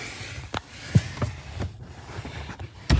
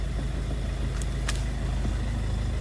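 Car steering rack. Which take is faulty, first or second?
first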